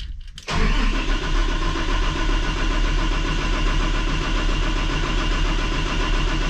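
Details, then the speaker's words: Cummins ISL9 diesel after an in-frame rebuild of a dusted engine, cranking after the lift pump was cycled and before the filter head was bled: a brief crank, then it catches and runs steadily with no knocks or misses. "Sounds good when it's cranking."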